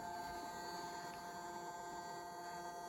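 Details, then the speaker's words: Chinese 5 kW diesel heater with analog controller in a 1992 Toyota Hiace camper, at startup before the fuel pump starts clicking: quiet steady whir with an even hum and no rattle, fan running smoothly through its preheat cycle. "So the fan is running, it's doing a little preheat cycle, whatever it's going to do."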